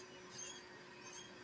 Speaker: Can you guys hear that squeak? I'm definitely going to have to look into that. I don't know what else would be squeaking other than the the rail and the track.